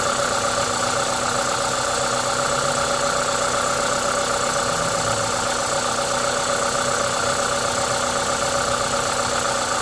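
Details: Toyota 2ZZ-GE engine at a normal idle, even and steady with a smooth low hum; the constant airy hiss comes from an induction kit; sounds healthy.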